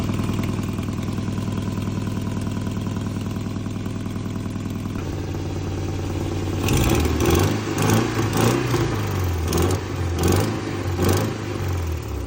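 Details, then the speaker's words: Nissan 240SX: engine revs with a raspy, puffing tick on the exhaust note that rises with revs, sounding like a tractor; leaking exhaust header gasket awaiting replacement. "She sounds like a tractor right now. But as soon as we fix that, which is the header gasket, we're waiting for that to come in, she should sound much better."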